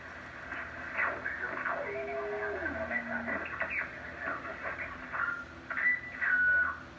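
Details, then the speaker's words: Drake TR4 transceiver, serial 81037, with noise blanker, tuning down toward AM stations on 40 meters: thin whistles step and slide in pitch over faint hiss, a tuning squeal; owner suspects a tuning rod, unconfirmed. "So my tuning here is messed up. You can hear that. Wow. That's probably this little rod thing here."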